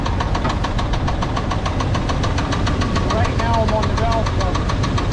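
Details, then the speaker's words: Chevy engine with a pronounced rod knock: a steady deep knock that follows engine RPM, getting louder as revs increase. It is traced by listening through a broom handle on the valve cover and oil pan. "the knock's pretty pronounced you can hear it it actually will follow up with engine RPM so as we increase the RPM the knock's going to get louder"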